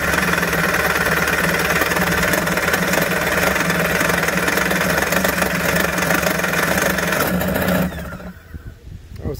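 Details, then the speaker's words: 1991 Kawasaki 550SX jet ski two-stroke, first start after six years stored, run without cooling water, choke adjusted: rough uneven buzz about eight seconds then dies; barely catching on choke. "sign turn the choke off maybe a little more choke half choke"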